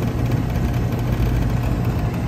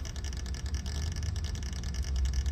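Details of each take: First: Rheem central A/C outdoor condenser running after the dual capacitor was fitted, with a new Emerson CoreSense contactor. A steady low compressor hum and an even fan rush with no chatter or rattle; it runs normally and no longer bounces around as before. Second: Rheem central A/C outdoor condenser with Emerson CoreSense contactor, fan not working and capacitor nearly dead: steady low hum with a rough rattly buzz from a worn chattering contactor close to failing.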